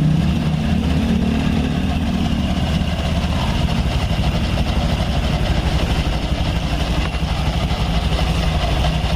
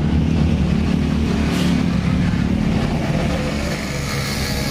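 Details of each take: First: Honda Scoopy scooter with 12-inch rims, after a repair to fix a noisy clunking CVT: smooth, soft, steady idle with no clunking, and idle speed no longer rises and falls as it did before. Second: Honda Scoopy with 12-inch rims idling with a loose, uneven CVT clunking knock about three times a second, likely from a loose front pulley roller housing in the CVT case.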